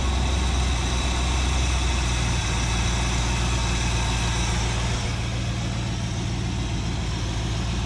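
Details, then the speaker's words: 1958 Chevy Biscayne V8 hot rod after idle mixture screws reset: steady low burble at idle, even firing, no misses or surging; runs smoothly. "running smooth i'm going to ask for smoother running engine i couldn't be happier with that"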